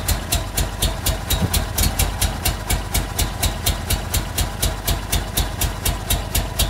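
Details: Honda Civic Genio with swapped Honda Prelude VTEC engine, setup not yet finished: uneven lumpy idle with sharp tick about four times a second over low rumble; rough idle, cause not confirmed.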